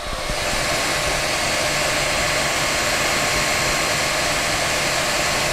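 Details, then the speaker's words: Creality Ender 3 V2 3D printer printing a calibration cube: constant airy whoosh from the cooling fans, including from the bottom, with no stepper-driver whine or clatter; it is running normally. "so you can hear there's no stepper driver noise but there is quite a bit of fan noise and that's coming from all around including the bottom"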